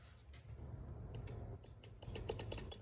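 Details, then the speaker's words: Sunk-and-rebuilt boat, outboard power trim: scattered sharp clicks and no trim motor running when pressing trim up, down works; solenoid connection cleaned but fault persists, suspected bad connection or solenoid. "So we have this problem here. We go to trim up and nothing. Down works, but up doesn't. It's just clicking."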